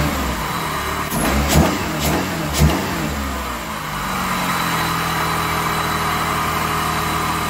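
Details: Chrysler PT Cruiser towed in as a crank-no-start, with the fuel system primed and the airbox off. A few cranking catches, then it fires and settles into a steady, even idle with no misses. Healthy start.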